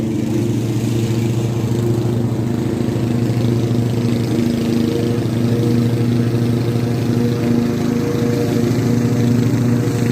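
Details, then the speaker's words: Craftsman T100 riding mower after restoration with a new deck belt: steady even engine drone with the deck spinning smoothly, no rattling or marble-like knocking; mower and deck sound healthy. "not exactly sure what it happened but the deck actually sounds like it's supposed to"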